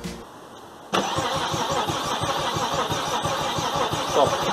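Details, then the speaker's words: 1995 Saab 900SE V6 convertible, replacement engine just serviced with new water pump and timing belt: steady starter cranking at about three beats a second but the engine never catches, with no electric fuel pump and no spark. Crank, no start. "first try starting fails with no electric fuel pump kicking in and no spark we were stumped"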